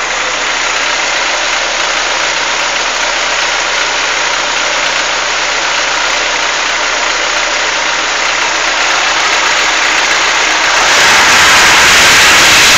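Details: Chevrolet Monza warm idle: a steady light tick, about four per second, that grows as revs rise; heard once hot, owner unsure whether lifter or piston skirt noise, cause unconfirmed.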